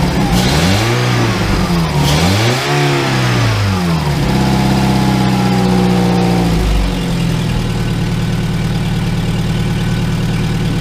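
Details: 2002 VW Gol after starter motor rebuild and injection harness connector repair: engine catches, revs up and down a couple of times, then settles into a steady, even idle with no misfire.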